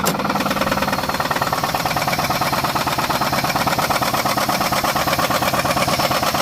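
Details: 2006 Pontiac G6 at idle, oil possibly overfilled: steady, somewhat uneven knocking roughly 100 a minute, plus grinding when driven; rod knock suspected, not confirmed.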